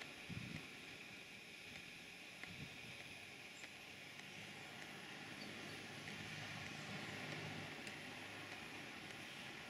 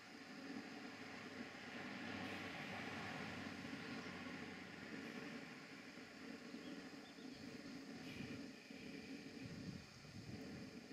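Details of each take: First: Stuart Models beam engine on Castle Steam V6 gas-fired model boiler, rotative pump feeding water so pressure dropping: soft, fairly even chuffs about three a second over steady steam hiss; runs smoothly, normal. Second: Castle Steam V6 model boiler running a Stuart beam engine with a condenser, in a garden: steady soft hiss over quiet ambience; both safety valves are blowing off from excess boiler pressure.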